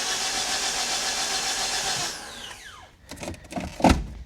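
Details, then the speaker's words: Flooded Mitsubishi Eclipse after starter replacement and cleaned wires, spark plugs out: even, strong whirring crank with no drag, then clean spin-down; healthy starter cranking. "look at cranks strong She Cranks strong sounds"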